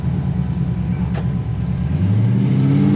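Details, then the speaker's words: 1957 Chevy 210 hot rod barn find driving 600 miles home, low gearing, struggling at highway speed: low V8 drone with uneven stumbling beat under load, spits and sputters; cause unknown. "But like, she spits and sputters pretty good, so. I don't know."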